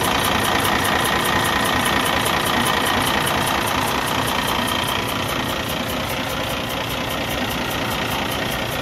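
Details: Cummins ISX15 diesel idling: steady chuffing pulse about two and a half per second over running noise, compression leaking into the exhaust from internal engine failure.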